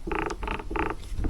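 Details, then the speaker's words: Brush hog gearbox turned by hand the morning after refilling: even, repeating dry clicks about three times a second with no grinding or clunk, and no drips. Normal, tight gearbox rotation. "all right it's the next morning it's very early man nothing not a drip or anything sounds good and"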